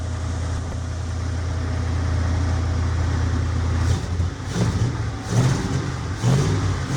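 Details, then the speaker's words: 1975 Jeep CJ5 V8 just started after a 650 Holley carburetor rebuild and PCV line fitted to fix a vacuum leak: cold, steady raised fast idle because the idle air screws are still unadjusted. "Idle's too high. I haven't even messed with those air screws."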